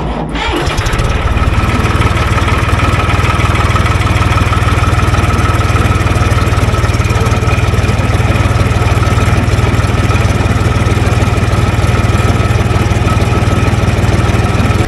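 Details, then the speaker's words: 2.4 L diesel with an old 2017 battery gone dead, started on an Andeman E-P155 Pro jump pack; short crank, catches at once and settles into a steady, even idle clatter: normal diesel start. "you know pushing a diesel engine to turn over is a lot of power so I'm surprised this thing had it didn't really use that much juice either so that's cool"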